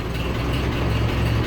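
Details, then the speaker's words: 1940s Ford tractor started without priming, filming from in front of the tractor: settles into a steady, even low idle with no knocks or misses. Oil pressure is coming up as it fills, with no oil slinging anywhere. "oil pressure coming up as it fills that thing we're not slinging oil all over the place so that's good"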